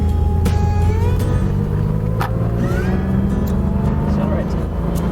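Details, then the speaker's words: 1970 Porsche 911T carbureted engine on a snowy road test after a 15K service with timing, carb balance and mixture set: smooth pull through the revs with a steady rising drone, no hesitation or stumble; normal acceleration. "no hesitation no hiccups nice and smooth"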